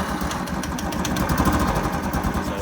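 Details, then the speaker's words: Royal Enfield Classic 500 single after starter relay replacement, dead cold: slow lumpy idle with light regular decompressor tick at low revs; normal cold idle. "you go ladies and gentlemen that ticking sound is just the uh that's just the decompressor because the revs are too low because the engine's dead cold"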